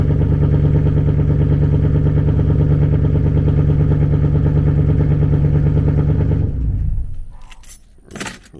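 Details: Chevrolet Camaro 2SS V8 idle before shutdown: lumpy, choppy pulsing about three times a second with uneven beats; owner blames StabiliTrak being on for the misfire, cause unconfirmed; rough idle with misfire.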